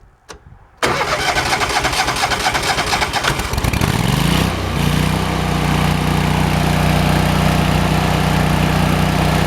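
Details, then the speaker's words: Kohler CH23S engine after cleaning a plugged, corroded low-idle jet in the carburetor (old gas had sat in it): it cranks, catches and settles into a smooth, steady low idle with no sputtering or backfiring, running normally. "That low idle's pretty. That's the way it ought to run. Before it was sputtering and backfiring, every other thing you could imagine."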